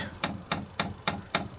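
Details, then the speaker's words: Chinese 5 kW diesel parking air heater, new motorhome install, priming mode run from the LED control panel to push diesel up to the burner: crisp, evenly spaced ticks a bit over three a second; dosing pump priming normally. "The off will flash, then if you press up, the pump will kick in."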